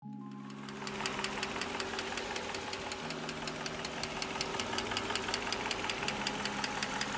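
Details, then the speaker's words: 1997 Mercedes-Benz M119 V8, which should be nearly silent, makes a fast, sharp, even ticking of roughly 160 per minute from the top end: valve train starved of oil by the plastic oiler tubes feeding the cams. "if you've ever heard one of these engines they should be nearly silent and uh this one was making some awful ticking noises"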